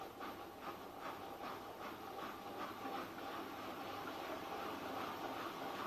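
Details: Newly bought Miele washing machine (post-2014 body design) on a non-concrete floor, 1.6 kg dry laundry, noise began after 2–3 weeks of use: quiet steady spin with a regular rattling thump about 2.5 times a second over a hiss; weak plastic connectors suspected.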